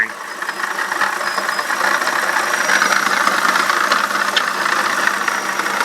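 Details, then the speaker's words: BMW E65/E66 at idle: thin, steady squeal high above the running note, unchanged with the fan unplugged, ruling out the fan clutch bearing. Slight wobble at the pump and no coolant leak. Worn water pump bearing. "okay fan is completely unplugged and I'm still hearing the squeak so it's definitely the water pump"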